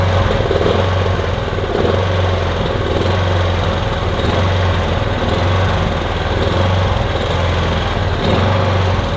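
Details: Kipor Sinemaster IG2600 digital generator, stored in a garage for years, running on choke with starting spray, cold: uneven lumpy beat and surging rather than a steady hum; owner hopes it smooths out as it warms.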